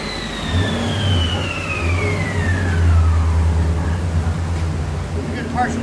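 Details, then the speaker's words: Coyote 5.0 V8 swapped New Edge Mustang drift car on dyno, first pull after retune with HPtuners (mass airflow curve, power enrichment, cam changes): deep roar climbing smoothly under load, no misfire or stumble, not fully maxed; healthy pull. "Yeah, that sounded good. Yeah, everything looked pretty good there. Just didn't give it all the beans yet."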